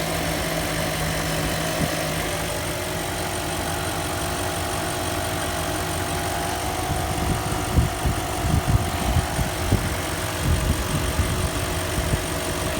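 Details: 2003 Range Rover after sitting four days, following new timing chains and guides: steady whine over idle staying as revs rise, roughness under throttle, from lower timing chain cover area; vibration on acceleration; cause unconfirmed.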